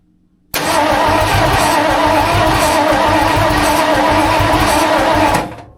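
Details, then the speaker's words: Rebuilt budget 302 V8 in tow truck, first start after clutch, flywheel and distributor install, fed starting fluid: starter cranks, engine catches and roars about five seconds then dies. "We've got her super close to busting off, guys. Give her a little sniffy sniff. I don't expect it to run good or sound good."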